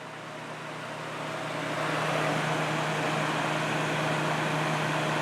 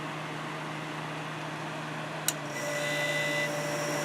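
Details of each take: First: Kenmore dehumidifier, about six months in use since June, being cleaned and serviced in cold winter conditions: steady airy fan rush with a low hum and no compressor drone, as the de-icer has cut the compressor after sitting idle; the unit is attempting a hard restart. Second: Kenmore dehumidifier during cleaning and maintenance, cold winter conditions: low steady hum, one sharp click, then the compressor cuts back in with an even, slightly louder drone; a normal restart.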